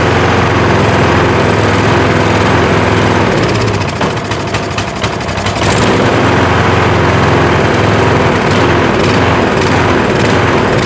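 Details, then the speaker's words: Troy-Bilt riding mower, Kohler Courage engine, running on choke: steady running that sags and dips for a second or two, then recovers; the owner blames water still in the fuel for the surging. "Well, it's still got water in it. I just pulled that fuel line off. That's why it's surging."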